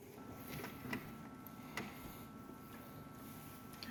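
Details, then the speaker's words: Ducati 1198 with somewhat low battery voltage: faint isolated starter solenoid clicks, about three in four seconds, with no cranking. The engine won't turn over; rolling the bike forward sometimes helps it start. Cause suspected, not confirmed. "But the problem I'm having is just that the solenoid clicks, but it doesn't seem to be able to actually turn the engine over. You can hear it clicking in the background."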